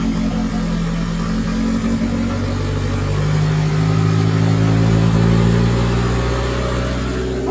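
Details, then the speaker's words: 1977 Chevy LUV, first real start after 18 years in a salvage yard, was flooded with a miss; steady, even note sitting fast and climbing after carburetor idle adjustment, idle set too high. "got her a little too high now back her down some"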